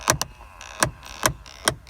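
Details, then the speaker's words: 2003 GMC Envoy XL: sharp, constant plastic clicks about every 0.4 seconds from the rear passenger interior quarter panel. "Now, I apparently have a clicking noise coming from my passenger rear quarter panel."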